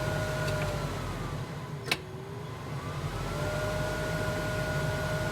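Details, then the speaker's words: 1968 Mustang with newly replaced Vintage Air heater part: steady fan whine sags in pitch for a couple of seconds with a sharp click, then recovers, only at maximum speed; relay or breaker tripping suspected, not confirmed. "clicking yeah i don't know if that's a relay tripping or a breaker constantly tripping or what only when it's maxed out"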